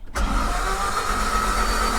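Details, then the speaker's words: Mk1 Toyota MR2, long-stored, after starter motor was tapped and its mounting bolts tightened: brief click then starter engages and spins the engine at an even steady cranking rhythm, no grinding; normal cranking. "Oh, she's turning over. That was doing it, wasn't it?"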